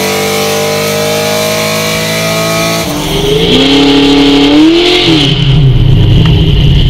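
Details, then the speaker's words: Camaro idling: uneven, lumpy idle with a steady stumble several times a second, still missing on several cylinders; starting and running a little better, cause of the misfires not yet found. "i got the camaro idling i'm still missing own several cylinders um i'm not sure but it's starting up better and it's running a little bit better"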